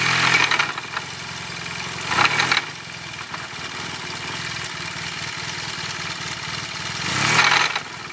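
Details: Yamaha T-Max scooter engine idling: dull, uneven knock under the running note, sharpening on throttle blips; worn crankshaft bearing shells.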